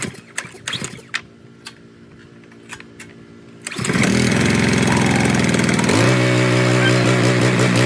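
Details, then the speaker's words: Simpson 3100 PSI pressure washer, unused for 3 years and not starting, after its carburetor was removed and cleaned: the small single-cylinder engine catches, runs strong, then settles into an even, regular beat. Normal running. "So I took out the carburetor, I cleaned it, put it back on, and now it works. Yeah, this is Simpson, the 3100 PSI. It's still good."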